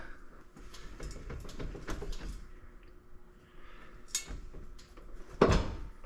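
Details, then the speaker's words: Vehicle raised off the ground in neutral, driveshaft turned by hand: scattered dry squeaks and a sharp catching tink with each turn; owner suspects a dry, binding U-joint, not confirmed. "It's like it's dry. So from what I've read, oops, hear that? A little bit of. Anyways, it sounds like there's just this little bit of catch in here, making it like a little tin tink tink."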